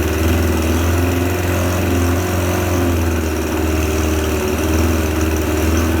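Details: Suzuki 25HP outboard, just repaired, power-tested in a water tank: steady, even low drone with a constant beat, no knocks, misfires or rattles; normal running.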